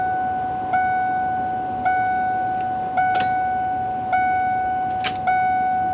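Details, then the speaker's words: 2002 Ford E-250 van after engine reassembly, key on before first start: clean single-pitch beep about once a second; dash warning chime triggered by a switch being held pressed by a nearby part. "I don't know why it's beeping now. [Music] Oh, that's why the little this switch was touching here."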